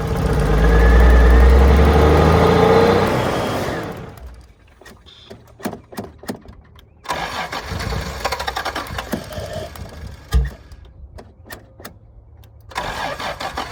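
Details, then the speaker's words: 1986 Toyota Supra, running on gas squirted into the intake: the engine catches and revs roughly for a few seconds, then dies; it won't hold an idle. Owner suspects the fuel pump, as no pump cycle is heard with the key on. "It is a good thing that she cranks over, and she does seem like she wants to run."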